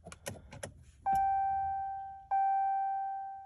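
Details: 2020 Ram 2500 6.7 Cummins diesel at 40°F with batteries charged: pressing start runs the preheat, then gives only light starter clicks and repeated warning chimes. No crank, no start.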